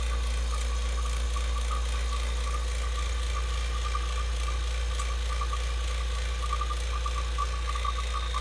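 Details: Vacuum pump evacuating a system after a capillary tube change, low and high sides fully open: steady, even low drone without surging or knocking; running normally.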